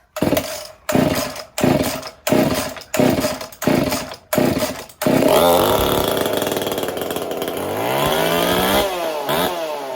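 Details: Chainsaw fitted with a 372 carburetor, repaired choke detent and copper-wire choke: a run of cord pulls, then it catches and revs up cleanly before settling. Healthy, even running after repairs.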